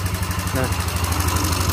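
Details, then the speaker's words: Yamaha Xeon carburettor scooter, idling with exhaust refitted, engine also smoking: fast, steady ticking on top of the idle putt; valve train ticking from a loose valve adjuster nut clattering in the head. "hari dengar suara mesinnya yang pertama dia ngeletrek Terus yang kedua dia ngebul nih"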